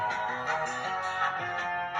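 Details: Williams High Speed MPU pinball, after sound-board filter caps replaced for very low volume: clear, full tones and effects at healthy volume with no hum, crackle or distortion; sound board working normally.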